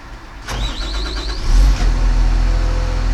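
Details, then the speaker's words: Machine that often failed to crank at the key until several tries, after the start relay was replaced and the neutral and safety relays were cleaned; brief starter whirr, then the diesel catches and settles into a steady low idle rumble, starting normally. "I am going to crank it Wow it started I succeeded"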